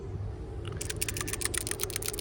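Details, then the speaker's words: Truck PCV valve, removed from the valve cover, shaken by hand: light, dry ticking rattle of quick clicks as the loose check ball moves freely; passes the rattle test. Crankcase flow at the oil cap felt neither sucking nor blowing. "you can hear it rattle around it's pretty loose so i don't know if this would be considered good or not but it passes the rattle test so that's all we care about right"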